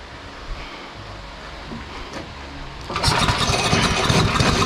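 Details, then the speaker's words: Tecumseh-engined Devilbiss Powerback 5,250-watt generator that wouldn't start, carburetor leaking badly; near silence, then it catches on starting fluid and runs ragged and loud. Suspected gunked carburetor from years of sitting; coil and carburetor later changed. "It's leaking directly out of the carburetor. I don't know too much about what's up with that carburetor. So let's see if we can get it to fire off a little hot sauce."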